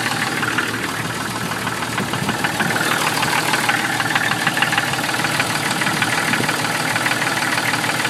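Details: 1996 Jeep Cherokee idling with a sharp, fairly regular knock around three per second; owner thinks it comes from inside the oil pan, cause unconfirmed.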